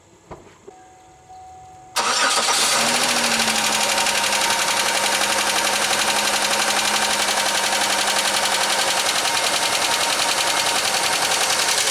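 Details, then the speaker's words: 2003 Pontiac Grand Am GT, oil contaminated with antifreeze and possibly water, overfull: cold start to a fast idle with a sharp, even ticking almost four a second; owner suspects a noisy lifter from diluted oil, not confirmed. "So that's what she does. And hopefully, if we get new oil in that noise will change or go away somewhat."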